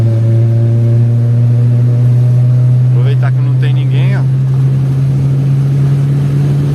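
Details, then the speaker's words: Chevrolet Vectra after fixing a misfiring problem, full-throttle pull-through, reaching over 60: loud steady engine drone holding strong and even, no misses or stumbles; normal acceleration. "Poxa não sei quanto que pegou mas que deu mais de 60 Deus então galera tá poxa vocês ver que o velho cão tá tá andando para caramba né"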